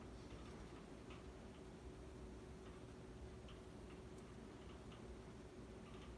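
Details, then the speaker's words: Dynasty Hugger 52-inch ceiling fan from January 1988, bearings not broken in, on high speed: steady air rush with faint irregular light ticks on top; rattle at high speed, owner suspects the housing or motor-to-bracket hex bolts, screws all tight. "It's probably the housing that's rattling a little bit. Which is actually a bit strange because all the screws on this fan are 100% tightened up."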